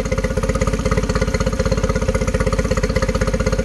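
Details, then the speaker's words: 2013 Yamaha 9.9 four-stroke outboard being diagnosed for rough running: idle is an even, low putter at about four beats a second with no misses, measured at 800 rpm against an 800 rpm spec; normal idle. "i don't think so i think it's just perfect i put my uh my voltage meter on it with uh my dwell clamp and says it's doing 800 and spec is 800 so it should be perfect"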